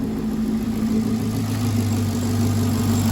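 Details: 2016 Caprice (6,081 engine hours), which ran rough with a StabiliTrak fault and codes P0208/P0300, idling after repair: steady, even petrol idle with a smooth low hum and no misses or stumbles; fixed, normal idle.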